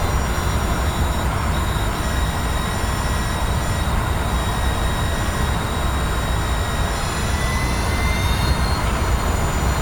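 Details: Mazda MX-30 driving, heard in cabin: steady deep driveline rumble with faint high whines and a hint of rattling, plus cabin vibration; a ticking sound varies in strength; two Mazda workshops did not resolve it.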